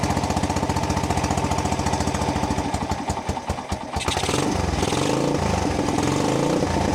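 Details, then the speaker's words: 30-year-old abandoned SR125 single-cylinder motorcycle revived, seized fuel tap: even thumping idle, quick rev blip, then fast steady beat; revs well, engine sound, carburetor needs slight adjustment. "So she's revving actually really well. Little bit of adjust adjustment needed on the carburetor, but the engine is absolutely sound."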